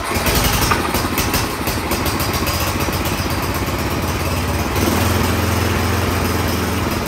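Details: Troy-Bilt Storm 10030 snowblower, no-start after gas left in all summer: after starting fluid sprayed into the cylinder and a sit, uneven firing as it catches, then steady even idle from about five seconds; restarts normally.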